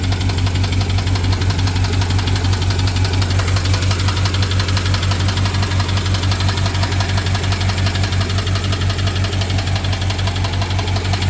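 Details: BMW 750Li N63 V8 at idle after fuel injector and high-pressure fuel pump replacement: fast, steady ticking over slightly uneven, lumpy engine note; ticking with misfire, owner suspects timing chain.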